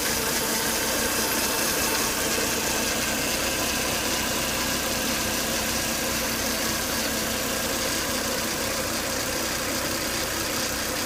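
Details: Volvo S80 2.5T, idle after 10–20 minutes running: steady high whine and hiss over an even idle, no pitch change; engine also shows high crankcase vacuum at the oil cap and coolant boiling; cause unclear.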